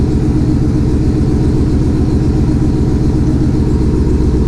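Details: 2020 Shelby GT500 Mustang V8 with a just-installed Whipple 3.8 supercharger, idling as it warms toward operating temperature: deep, steady rumble with an even beat and no whine, rattle or misfire. Normal, healthy idle.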